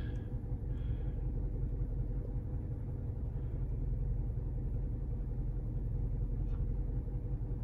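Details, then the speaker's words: 2006 Toyota Corolla 1.8, over 200,000 miles, cold idle: deep uneven rumble with misfires across all cylinders (P0301–P0304); coils are new and some injectors have been changed, so compression was tested next. "we got misfires across the board"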